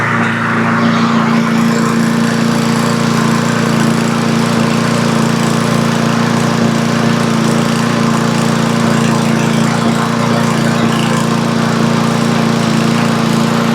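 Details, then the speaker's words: Cub Cadet push mower with Powermore engine, after valve train repair and bending the governor spring tab; it had popped and wouldn't stay running. Now a steady, even drone with no popping, surging or misses, still smoking a bit. Normal running. "Figured everyone may just want to hear it run one more time. Well, this thing's running pretty good now."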